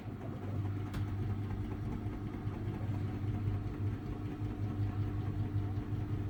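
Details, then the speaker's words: Samsung Ecobubble 8/9kg washing machine with Digital Inverter motor on a Daily Wash, 1400rpm max final spin: intermediate spin after a redistribution stop, now balanced, very quiet smooth low hum with faint steady tone, no thumping; normal balanced spin. "Well, you can definitely hear how very quiet it is for a digital to inverter motor."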